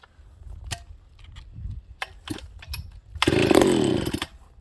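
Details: Ported Homelite 922 chainsaw after clutch fix, new fuel line and cooler heat-range plug, cold start on full choke: a few cord pulls, then fires and runs hard about a second; starts easily, normal.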